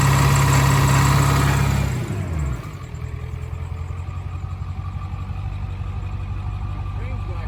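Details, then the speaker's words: Ford 7.3 diesel after IDM box work and new fuel line seals: loud start, then low lumpy idle about four pulses a second; misfire, owner suspects an injector not firing well. "now we're having a missing problem and I'm pretty sure it's an injector it sounds like one of the injectors isn't firing very well"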